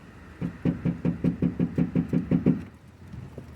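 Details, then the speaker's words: 2002 Mercury Grand Marquis with aftermarket rear speakers and 8-inch subwoofer: deep bass thumps about five a second with buzzy rattle on top; tinny rear package tray rattles despite foam deadener, before Killmat sound-deadener install. "mainly you can hear how tinny that is. Even with this thick barrier, kind of foam sound deadener on here, this whole back shelf really rattles."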